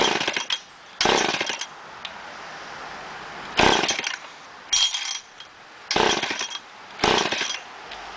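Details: Poulan 245A chainsaw, hard starting; it catches in short raspy bursts roughly once a second, then dies back each time and never settles into a run. Cause is still unknown.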